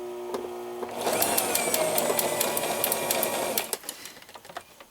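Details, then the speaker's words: Brother XL-3750 sewing machine running with fast, uneven clacking at about three beats a second over the motor whir; the racket came from thread and a needle found wrapped inside the hand wheel once it was pulled off. "After the hand wheel was pulled off, the thread and needle that you're about to see was all wrapped around in here, and I believe that's what was definitely making all that racket."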